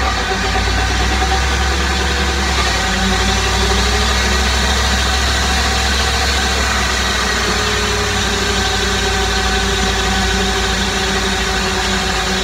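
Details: 2008 Dodge RAM 1500 Hemi, mostly highway miles with light towing up to 4,000 lbs, on jack stands in gear, wheels spun from 20 up to 50–60 mph; constant droning hum with steady tones; rear differential noise persisting after a fluid change.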